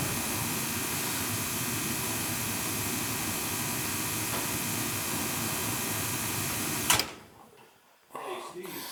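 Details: Gas boiler with a no-heat complaint: steady, even burner roar for about seven seconds, then a clean shutoff; it fires normally during repeated on-off tests, and a loose wiring connection is suspected.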